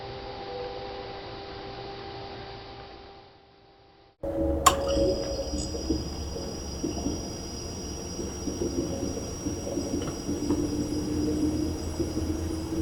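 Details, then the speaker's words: GE Profile PFS22MISBWW refrigerator (bought 2007) that stopped cooling, plugged in with the new control board: a steady tone, silence, then a hissing rush with no deep compressor hum. The compressor vibrates weakly and stays cool; the owner suspects the compressor, start relay/overload/run capacitor or a leak. "can feel the vibration of the compressor but it doesn't just doesn't seem to have the the power that it seems like it would normally have"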